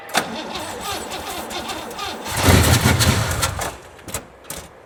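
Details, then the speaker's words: 1963 Oldsmobile 88, cold day, tank ran dry the day before with a little gas added: starter grinds, engine briefly catches with a low rumble then dies; fuel starvation, choke possibly faulty, muffler blown out. "a little gas in that uh tank there it ran dry yesterday so it might take a few cranks hopefully the battery's good cold out"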